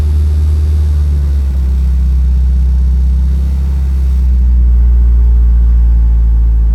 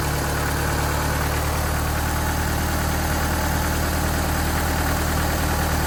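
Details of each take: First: 1986 Dodge Daytona Turbo Z Shelby Edition after turning in the bottomed-out idle screw; deep, slow, lumpy rumble, idle a little better but still really low; low idle speed. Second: 1986 Dodge Daytona Turbo Z Shelby after the idle was bumped up: even, steady idle with a constant low hum and no surging or misfire; some smoke; a loose plug found on cylinder 2.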